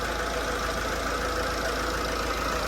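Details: TATA 2.2 diesel that was hard-starting and knocking, after rebuild (cylinder 2 bored with new piston, head skimmed, valves ground, new gasket, bearings, water pump): steady, even idle clatter with no misses or heavy knocks. An alternator bearing noise was noted just after.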